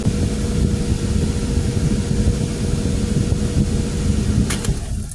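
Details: A 2007 Nissan Xterra idling after a fresh oil change, with good oil pressure, gives a steady, even hum and faint constant tone with no knocks or ticks before shutting off; the engine is running smoothly.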